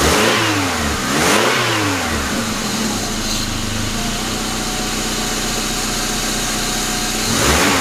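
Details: Rebuilt 1999 Grand Am GM LD9 2.4 Quad 4 on first start-up: the revs rise and fall over a steady rough grinding that stays at idle, from the AC compressor clutch on the serpentine belt; the compressor, whose shaft seal also leaks, needs replacing.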